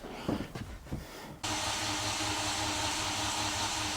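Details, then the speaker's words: Freshly built AWD Honda Civic Si (EM1) engine, JBR-built short block, fuel pump off, spark plugs removed, first crank to build oil pressure: starter spins steadily with quick even pulsing, no firing; oil pressure comes up normally. "I ain't firing this thing till we get some sort of oil pressure. Oh, we got our pressure."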